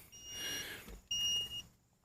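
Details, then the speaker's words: Hulkman Alpha85 jump starter during a cranking test: long high-pitched beeps repeat about once a second with short gaps. This is the error 2 code for a dead car battery, cleared by pressing the power and LED buttons together. "We're throwing an error code already on the Hulkman. You can hear it. We've got an error 2."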